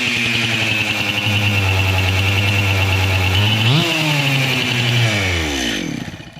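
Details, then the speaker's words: Stihl MS 261 chainsaw with erratic running from a severe crankcase air (vacuum) leak: buzzy uneven idle, surging and sagging before dying; crankshaft can be wiggled, bearing cage loose on the bearings. "an air leak vacuum leak on this crankcase listen to it again"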